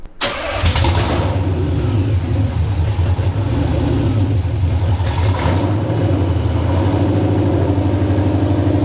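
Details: Nissan VH45DE V8 after engine refit, fuel lines insulated from header, first start: starter cranks briefly, engine catches and settles into firm steady idle with a couple of light revs.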